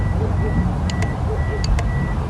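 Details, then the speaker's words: Car relay tested off the vehicle without a multimeter: positive and negative wires touched to its two coil legs give two quick pairs of sharp clicking taps over traffic noise. The relay is switching properly. "So when you put the 2 wire, this relay will give you a sound, like a tapping sound, like ta ta."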